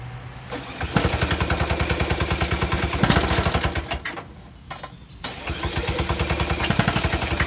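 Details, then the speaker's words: Old hard-starting mower with a faulty pull start, cold-started with a drill on the starter: fast cranking chuffs, catches briefly, stumbles and dies, then picks up unevenly; owner suspects the carburetor. "i think carburetor so yeah that one needs a little work but other than that it seems like it did okay"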